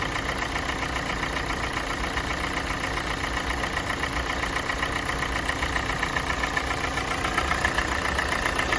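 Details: Kia Sportage 4G 2017, G4NA engine, 265,500 km, warming idle: light fairly regular tapping about four per second creeping in, absent at cold start; owner thinks not piston slap, cause unknown.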